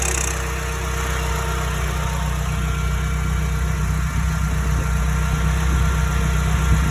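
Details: Porsche 931 (924 Turbo) petrol engine at idle: a loose, uneven rattle comes and goes on its own. Listening with a steel rod places it at the turbocharger case or the BOV case; the cause is not confirmed.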